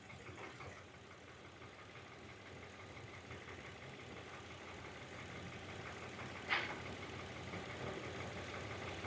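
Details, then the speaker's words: Hyundai Veracruz returned a month after coil, spark plug and one intake gasket replacement with system-too-lean code; brake cleaner sprayed at intake gasket on cylinders 1–3 side: idle stumbles about three times a second, cylinder 2 misfiring heavily, vacuum leak at intake gasket. "there you go missfire number two is misfiring a lot here number three not so but number two it's firing a lot when I introduced this brake cleaner into the inake right there's a lot of misfire there"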